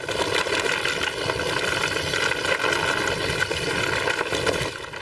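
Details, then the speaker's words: Giant Contact SL dropper seatpost rattling back and forth on a rough MTB trail: constant fast clatter over tire noise, cables rattling too; replaced with Fox Factory Transfer dropper. "it's this that seat just rattles the entire ride when I'm out of the South"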